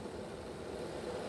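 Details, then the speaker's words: Bachmann Dash 9 model locomotive rear truck at speed step 4, after reinstalling motors with good contact to the motor block contact strips: quiet, even hum with no binding or surges, sounding much better than before. "and you can hear it sounds a lot better than it did before."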